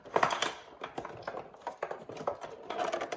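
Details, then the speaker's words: Radio cassette damaged in shipping: turning the tuning knob gives dry, irregular plastic clicks and rattles as broken dial-cord guide, arm and chassis pieces wobble and tumble inside; internal tuning mechanism shattered. "you can see the actual mechanism inside is wobbling around and on the back of that and listen to that noise again"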